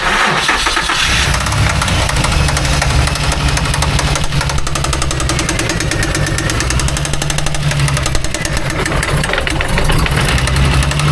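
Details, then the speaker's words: Mangnaro engine, knock that is sporadic: idle low rumble with irregular knocks that come and go without following revs, sounding from the bell housing area; clutch/gearbox suspected, cause not identified. "It literally sounds in here. It sounds in the bell housing area and it's just echoing through cuz this is all hollow."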